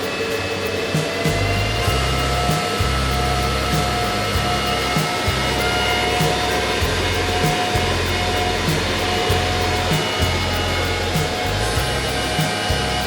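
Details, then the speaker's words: Antminer with replacement 6,000 RPM fans, run in low-speed mode after repair: the fans ramp to full speed with a loud, steady rushing whir and fixed high tone, no rattle or scraping. Normal high-speed fan operation. "Got those fans really running now. I anticipate them slowing back down a little bit here in a second."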